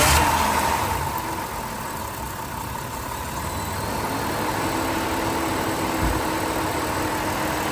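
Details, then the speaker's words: 2007 Dodge Caravan idling with the engine coolant temperature sensor (ECT, behind the ignition coil) unplugged, running voltage about 14.1–14.2 V: an even whooshing hiss from the cooling fan running full time over a steady idle. "can hear the cooling fan on and we can see that voltage is at running voltage about 14.1 14.2."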